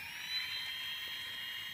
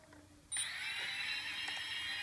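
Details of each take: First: Brushless motors on Afro Slim ESCs (SimonK firmware, same with BLHeli) with motor four disconnected: steady, high, even whir with no pitch wobble. The oscillation seen when both right motors run disappears. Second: Quadcopter brushless motors on Afro Slim ESCs with SimonK firmware (same with BLHeli), both right motors connected: high whine that keeps wavering and warbling instead of holding steady; the oscillation stops when either is disconnected, cause unknown, new ESCs ordered.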